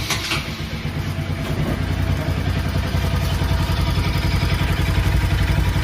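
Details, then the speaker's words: Bajaj NS200/RS200/NS160/AS200-type single: fast, light ticking about three to four times a second over the idle and throttle blips, an irritating top-end tappet tick from loose valve clearance. "Engine के अंतर में बहुत सारा फिकर के साथ उन्हें आ रहा है"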